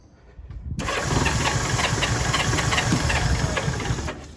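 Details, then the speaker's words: Honda S600 with a borrowed spare wiring loom, not firing on all cylinders, fuel pressure or ignition suspected: catches after cranking, runs rough about three seconds, then cuts out when the choke is touched; stalls. "It was running for a minute, but as soon as I hit the choke, it cut out."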